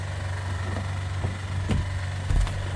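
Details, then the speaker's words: 2010 Honda Accord Crosstour started after serpentine belt tensioner replacement and alternator retightening: belt runs fine, but a steady low idle rumble carries sharp, uneven ticks; owner suspects a top-end noise, unconfirmed. "Shut it off. That doesn't sound good at all. Yep. That seems like a top end sound, guys."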